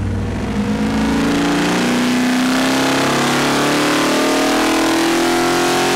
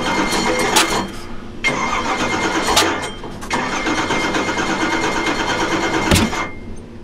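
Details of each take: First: Ford 427 stroker V8 on Boss 351 block, after break-in on engine dyno, first wide-open-throttle pull (about 571 hp, 567 lb-ft): steady hard-pulling roar climbing smoothly, no misses or knocks; healthy full-throttle pull. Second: Newly built Ford 427 stroker V8 (Boss 351 block, MSD Pro Billet ignition, 93 octane) first fire on engine dyno: repeated cranking with rough uneven firing that catches and dies; hard starting, timing later rechecked at top dead center.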